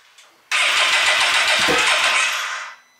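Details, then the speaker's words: Side-by-side run on E85 after earlier knocking and coolant over-temperature condition: catches instantly, revs to a steady roar and settles, no knocking heard on this start; knock possibly appeared after some warm-up. "sounds great come here don't hear that noise you don't hear the noise"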